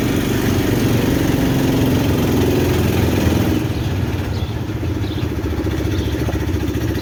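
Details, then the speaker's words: Big-block V8 in a long-bed truck, carbureted (accelerator pump not squirting), engine just finished as the 400, outdoors: brief rev then steady even burble, no ticks or misses; normal healthy idle. "all right now that i see it outside on its wheels i kind of want it big block to drive long bed even sounds like something i would drive"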